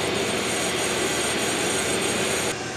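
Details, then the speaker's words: Brake lathe truing the rear disc rotor from an AE86 Corolla GT-S axle on a home-built Lotus Super 7 replica, during creaky-brake repair: steady even whirring hiss with faint high tone, no chatter; normal operation. "so while the brake lathe is doing its thing you can probably hear it in the background"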